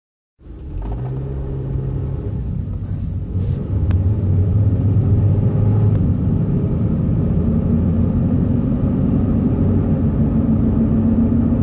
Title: Explain loud noise. And rpm bouncing